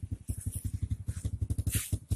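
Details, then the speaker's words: Honda Supra underbone motorcycle at idle, before carburetor adjustment: exhaust pops unevenly at about nine beats a second, some stronger than others; rough idle because the carburetor air (idle mixture) screw is set wrong. "Suara knalpotnya itu agak merembet dan tidak normal. Itu tandanya posisi settingan setelan angin karburator tidak benar."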